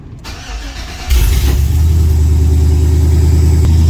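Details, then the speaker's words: LS-swapped OBS truck, cold start after the first start, being checked for a misfire. It catches quickly and settles into a steady, deep, even idle with no ticking or misses; one side smokes, which the owner guesses is carbon buildup: normal cold start. "actually that sounds really good for a cold start I'm used to it smoking like that side"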